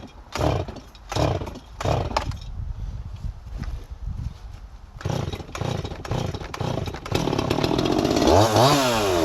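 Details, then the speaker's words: Holzfforma G255 (Huztl MS250 clone) chainsaw, about four years old, starting and warming up: uneven stumbling bursts at low speed, then clears to a steady high rev; low-speed mixture out of adjustment, loading up on fuel. "Sounds like the low side's a little out of adjustment. It's loading up on fuel."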